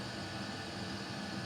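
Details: Custom Webasto water heater and Chinese diesel heater hybrid at max after about 5 more minutes; radiator almost 90°, burn chamber 140; even steady constant roar, no pulsing or sputter; normal full-output burning.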